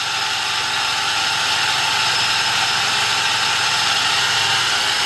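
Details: 2004 Toyota Tacoma SR5, 3.4 L V6 5VZ-FE, manual, engine running, heard under the hood; a constant hissing, gritty grinding whine first suspected to be the water pump, traced to a worn belt tensioner pulley bearing.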